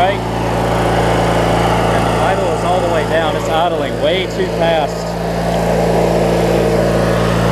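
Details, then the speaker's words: 20+ year old Craftsman mower with Briggs 19.5hp opposed twin at idle after setting governor, adjusting governor spring and idle speed, and clearing water and corrosion from carb: steady even putter, no hunting or surging; idle correct, full throttle still lacks fuel. "that's about what you want to hear it at idle right there"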